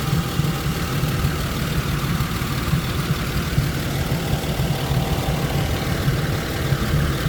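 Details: 1999 Isuzu VehiCROSS after repair of a loose timing belt running 1-2 teeth off: even, steady idle with a smooth low hum and no knocking or ticking. Belt, idler, collapsed tensioner, pulley and water pump were replaced.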